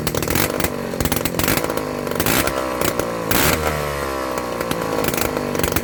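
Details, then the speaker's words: 1985 Piaggio Ciao PX two-stroke moped engine under restoration, started without choke in a 17°C garage. Very loud, raw, crackly buzz with uneven revs and blips. The harsh bark comes from running with no exhaust fitted. "Bah écoutez, vous avez vu, ça fait un bruit de fou hein"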